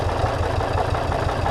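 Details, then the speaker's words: Misfire on a 370k-mile Volvo V70 five-cylinder: lumpy, uneven idle with clattering beat and dropped pulses, running on roughly 4 of 5 cylinders; replacing a couple of injectors didn't fix it. "It was running on 4, 3.5, 4 cylinders. Clattering away, not running well."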